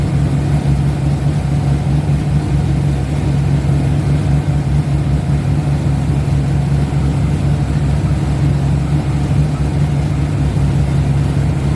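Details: Drift car with newly assembled engine, first start after reinstall with oil pressure built: strong, steady low engine note holds even throughout with no knocks, ticks or misses; healthy, smooth-running engine.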